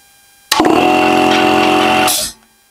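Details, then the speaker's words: Air compressor after fitting a new start capacitor, replacing the failing one that left it unable to start: motor catches instantly and hums steadily, then stops with a brief hiss of air. "пусковой конденсатор вот работает с полоборота"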